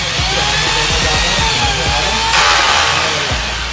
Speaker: Hammer लगाता है, ये नॉब का काम होता है ड्रिल और हैमर करना। ये मशीन ऑलरेडी तैयार हो गई।